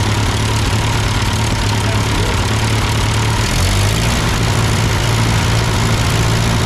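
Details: Ford 8N tractor that sputtered going uphill, after a carburetor adjustment: four-cylinder idles with a low, steady, even beat and no stumbling or misfires; healthy.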